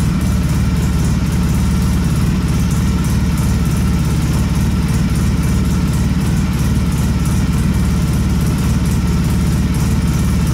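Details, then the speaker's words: Polaris Sportsman 700 after an HMF fuel controller was installed: a deep, bassy, steady idle that sounds lower in rpm than before, with no ticks or knocks. Normal idle. "Think that control card would do that, but to me it sounds a whole lot different. It sounds like it's running a bit lower too, like lower RPM at idle, which is kind of sweet."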